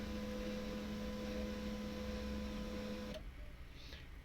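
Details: HP M1005 printer being repaired for a noise problem: steady low motor hum with a faint constant tone, no grinding or clicking, then it stops cleanly; the drive sounds smooth.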